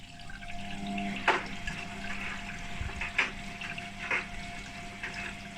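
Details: Hotpoint WMA32 washing machine, nearly 20 years old, after repair, starting program K (cold wash) with two hoodies. A quiet hiss and trickle of water filling the drum over a faint steady valve hum: normal fill.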